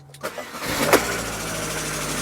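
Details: Car with a 1.4 K-series engine, used as the comparison car: brief crank, then it catches almost instantly and settles into a smooth steady idle. Healthy quick start.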